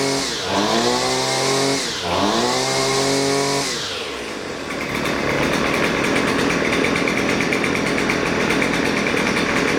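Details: Husqvarna 128LD string trimmer that bogs and won't throttle up, during carburetor mixture adjustment; revs twice swoop up and sag, then settle into steady high buzz; bogging on throttle.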